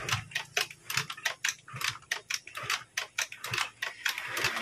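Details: Honda Vario carbureted scooter, choke system not working, after wiring repair: fires up and settles into a light, quick ticking idle with a steady beat, no misses or stumbles.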